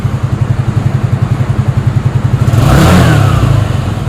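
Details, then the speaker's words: Yamaha Nouvo Elegance 135 scooter after engine rebuild with new valves, water pump, bearings and cleaned carburetor; even quick idle pulses about four a second, clean rev rise and smooth drop, good compression, running healthy. "เครื่องเร่งดีปลดวาล์วใหม่กำลังอัดดีหมดทุกอย่างครับ"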